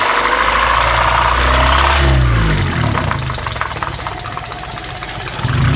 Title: 1998 Civic LX 1.6L - ticking sound from engine.